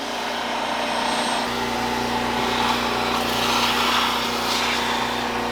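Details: Portable generator that would not start, revived by spraying brake cleaner at the filter; it now runs steadily at high speed with an even buzzing exhaust note and holds its revs.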